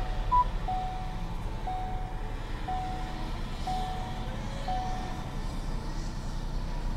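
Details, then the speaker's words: Rebuilt salvage three-cylinder car on first fire-up: low, even idle hum with a steady beat, no stumble or knock, surprisingly little vibration for a three-cylinder, quiet. Normal idle. "surprised at how little vibration there is from a three cylinder three cylinders generally will vibrate like crazy because it's an odd number of cylinders"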